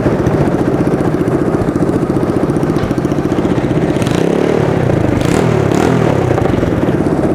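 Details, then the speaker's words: Track sled test run after fitting the exhaust, shifting through reverse and low gear: small single-cylinder four-stroke with a quick, fairly even beat around idle, catching cleanly through gear changes; healthy runner. "all right I put the exhaust on on we're just going to give it a quick uh test run try to start her up here and see what happens"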